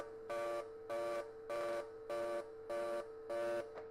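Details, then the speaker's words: TIG welding on AC/DC mix setting, factory settings except user-set waveform, frequency and balance, audio sounding boomy: steady arc hum swelling into harsher buzz about every 0.6 seconds as it switches AC to DC; normal. "And just if you can, have a listen, even though it sounds like we're in a tank. But you'll hear it go from AC to DC as it pulses."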